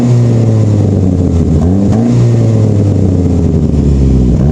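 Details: Saab 9-5 with a huge exhaust leak from a flex pipe broken over winter: a loud, raspy blat that rises and falls with each rev, far louder than normal.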